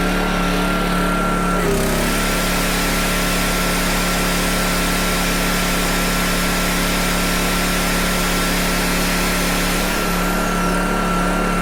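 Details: PowerTrain 900 W generator, previously not starting, fuel lines and carb work done; load thought to be roughly 400–500 W applied, steady high-toned drone dips about two seconds in then settles and runs evenly; normal running under load, owner checking frequency drop.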